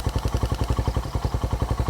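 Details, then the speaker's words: Motorcycle "Victoria" with stock Tsukigi pipe, back running: even single-cylinder idle around eleven beats per second, faint light tick the owner attributes to the carburetor; otherwise quiet and smooth, normal idle. "Tahimik na yung Victoria."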